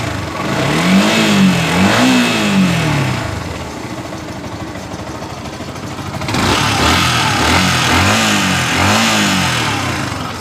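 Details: Yamaha R15 that was cutting out while running above about 30 km/h, after throttle body cleaning and air screw adjustment: the single-cylinder idles steadily, then revs cleanly twice and settles without hunting or stalling; healthy.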